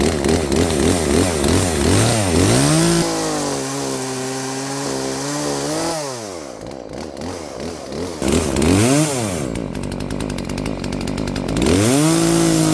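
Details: Poulan P3416 34cc 16-inch chainsaw with new Hipa carburetor, adjusted, cutting wood: screams up clean, bogs evenly into the cut and recovers without stalling; starts, idles and cuts properly after carb adjustment. Normal running under load.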